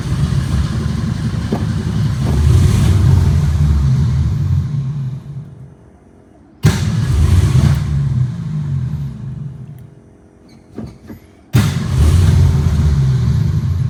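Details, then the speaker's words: 1962 Ford Falcon with carburetor and manual choke set half on, electric fuel pump: catches on a hand-primed bowl, runs a few seconds, dies, then cranks and catches again; pump not priming, stalls from fuel starvation. "Ay, this baby has no gas in her. It's not priming."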